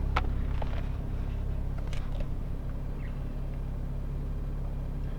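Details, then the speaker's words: Opel Zafira A 1.8i (X18XE1) on a completely cold engine: low, uneven idle that sags and surges under light throttle, failing to hold RPM. The mass airflow sensor reads high (30–36 kg/h), so a faulty MAF is causing unstable cold idle and rich running. "Okay, little bit throttle once again. And yeah, the car is struggling to hold the RPMs."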